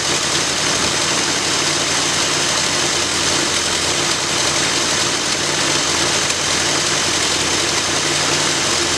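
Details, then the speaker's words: 1965 Ford Galaxie V8 after first rebuild of Edelbrock carburetor: steady even idle, smooth continuous rumble with some hiss, no stumble or hunting; breathing better, starting easier, some white smoke still. "it sounded like it's breathing a whole lot better"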